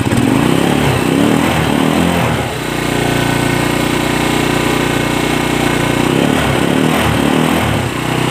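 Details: Motorcycle after a fix for hard starting: a single engine blips up and falls back, settles to a steady even idle, then revs again smoothly; running properly.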